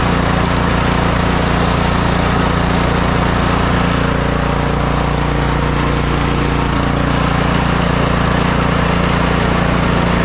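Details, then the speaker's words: Snow blower small engine run after replacing worn, stretched auger belt and drive belt, bottom engine cover still off: loud steady drone with even pulse, no belt slapping or squealing; running normally. "now that everything seems to be working properly I've reinstalled my bolt here put the spring back on"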